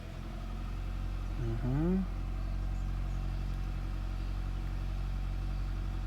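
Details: 2003–2008 Honda City/Jazz after ignition coil cleaning and reinstall, no engine light: low, smooth, even idle holding steady with no stumble or miss; normal idle.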